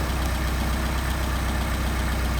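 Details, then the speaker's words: Mercedes 190SL petrol engine idling steadily at about 800 rpm while the Solex carburetor idle mixture screws are adjusted; an even rumble with no misses, normal idle. "pick up our RPM very slowly. Sounds like we got good RPM right there."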